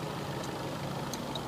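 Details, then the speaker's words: Toyota Avanza S 2010, 1.5 L four-cylinder, automatic, idling at the engine bay: steady, even idle with a soft hum. There is no valve, camshaft or crank bearing noise, and the alternator, AC compressor and power steering pump bearings are quiet and healthy. "aman tidak ada suara-suara aneh dari dalam mesin standar normal suara klep suara noken as suara metal juga tidak ada"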